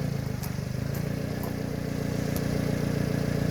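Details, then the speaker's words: 1992 Subaru Sambar KS4 mini truck after valve cover gasket, grommet and distributor O-ring replacement, burning off residual oil: small engine idles evenly with a steady low pulse, no knocks or misses; sounds healthy. "it'll get a little hotter this thing sounds good though"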